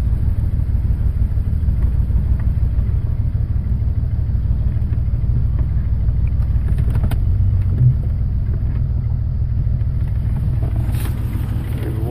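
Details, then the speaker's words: 1996 Jeep Grand Cherokee Laredo straight six 4WD with all cylinders misfiring, in reverse gear: low, uneven chugging that lurches about three pulses a second, running rough under load, cause unknown. "here's what I experienced in Reverse I don't know if you can tell if it's bucket chugging pretty hard and reversed"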